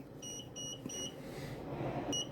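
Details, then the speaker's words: Procolored P13 DTF printer during daily maintenance, with the printhead area being cleaned with alcohol: short, high, evenly spaced paired beeps over faint handling noise in a quiet room; the printer warns whenever it is cleaned like this. "It is beeping at me. It doesn't like me when I'm doing this."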